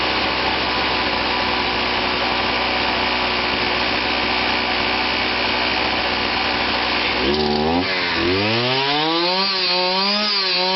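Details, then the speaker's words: Kawasaki KBH43A two-stroke strimmer after repair (previously would not start, ran only on choke): steady high revs, then drops and climbs smoothly as throttle is worked; idle was set a bit high and turned down; running normally. "well that runs TI over was up a bit High where so it's still turning so I've turned that down"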